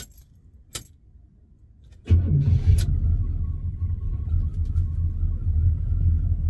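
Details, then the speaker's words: 1972 Oldsmobile Cutlass Supreme V8, bought unseen, starting on the morning of day 3 of an 1800-mile drive home; keys jingle, then it catches at once and settles into a deep, steady, even idle with no knocks or misses; normal start and idle. "Sounds good."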